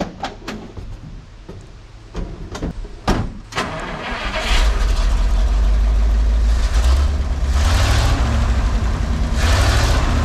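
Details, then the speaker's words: Cheap used dump truck's first start after the failed fuel pump was replaced and wired into the old harness: several clicks and cranking, then it catches and settles into a steady idle with clean throttle rises; runs good. "and run good it does that's exciting"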